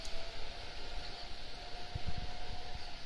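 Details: PS4 after fitting a 3–6TB hard drive with Molex power and extended fan connectors, powered on but not connected to the console; a soft, even airy whir with a faint steady hum and a few low bumps as the fans spin up: normal fan operation.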